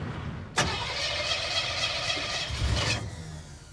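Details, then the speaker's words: Junkyard 1957 Chevy revived after four decades: starter grinds, engine nearly catches then dies; little fuel in the filter, old pump not pumping, so a new fuel pump is planned. "and we're dying we died oh that was brief all right well let's put a fuel pump in it yeah I don't think there's much fuel in that filter"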